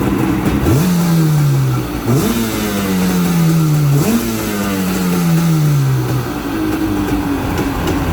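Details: 1995 Yamaha WaveRaider two-stroke after starter replacement: three sharp rev blips, each rising quickly and falling away smoothly, running cleanly with no misfire.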